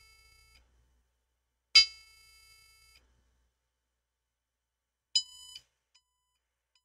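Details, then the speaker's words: HP Omen 30L desktop (GT13-0024), after replacing the RAM: clean high beeps in a three-long, three-short code that persists, pointing to a faulty graphics card. "all right I'm still getting a three long beeps followed by three shot beeps so the ram that we replace wasn't the issue less troubleshoot the graphics card"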